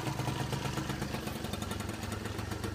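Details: Peugeot Speedfight two-stroke scooter in a cold workshop, just kick-started after fuel filter work: quick, even popping beat with a light rattle, holding steady without stumbling, smoking; normal idle.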